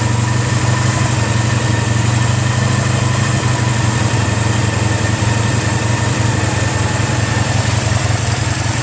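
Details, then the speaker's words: 1985 Honda Sabre VF1100 V65 after full carb cleaning (clogged jets, stuck slides): no choke, responds to throttle, steady even V4 idle with a smooth low hum and no hunting or misfire. Normal idle; some valve ticking noted afterward. "as you see no choke respond to throttle and all right down here is where your idle"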